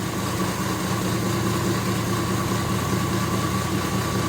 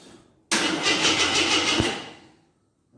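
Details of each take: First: 1983 Jeep Scrambler barn find, sat 4–5 years, running on a gas-can IV feed: steady even idle with a smooth low rumble, no misses or knocks; sounds good but keeps running out of gas, so the can needs raising. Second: 1983 Jeep Scrambler barn find, sat 4–5 years, good spark confirmed, battery charged: starter cranks at an even chug, about three beats a second, for two seconds but never fires; no gas reaching it, tank apparently empty.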